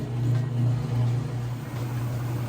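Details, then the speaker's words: Kenmore direct-drive top-load washer on the final spin cycle at nearly full speed: a steady low drone with a gentle swell and no knocking or scraping. The spin is smooth, fast and normal. "right, just about full speed on the spin cycle now. See, nice, smooth, fast operation."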